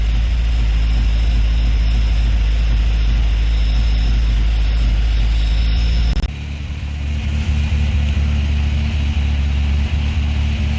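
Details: 1987 Toyota 4Runner with freshly rebuilt 22RE engine on first runs; slightly uneven, lumpy idle under a steady low drone, a possible mild miss. Smoke has cleared at idle and oil pressure reads about 75 psi at 2,000 rpm.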